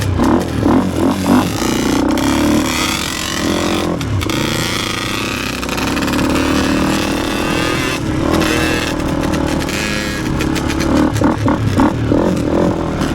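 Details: Yamaha Blaster two-stroke after carburetor cleaning to fix bad running and bogging: buzzy revs rise and fall with throttle blips, picking up cleanly without bog, running a little better.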